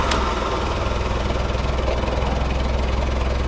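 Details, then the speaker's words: VW Golf Mk3 with original throttle body and single-port injection refitted, only coil pack and distributor changed: low idle with uneven lumpy beats near three per second; rough idle, cause not pinned down. "it's still idle so rough now"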